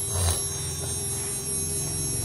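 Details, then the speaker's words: CNC spindle motor after customer rewind and new bearings, test run: constant smooth, quiet hum with steady tone, no rumble, grinding or ticking; current fluctuates about 2.5 mA; normal spindle run. "Đây là động cơ đang chạy. Đó, mọi người nghe tiếng chưa? Rất êm."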